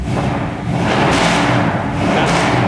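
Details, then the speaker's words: 1962 Impala restomod, rebuilt 454 4-barrel 410 hp big-block V8, headers, dual exhaust, just started: deep steady idle at 960 rpm, no knocks or misses; oil pressure 85 psi, temperature 98, 14.4 volts; healthy. "sound is awesome. Oil pressure is 85 pounds at an idle, and temperature gauge is working too."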